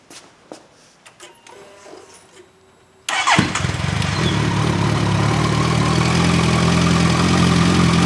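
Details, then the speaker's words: Suzuki Bandit 1250 FA with 62,000 miles, fresh motor oil, stage one tune (snorkel removed from stock airbox), slip-on exhaust fitted: startup then an even, steady idle with no clicking or clatter; normal idle. "Keep in mind this bike has 62,000 miles on it. Listen to that idle. Not one click, not one clatter or nothing."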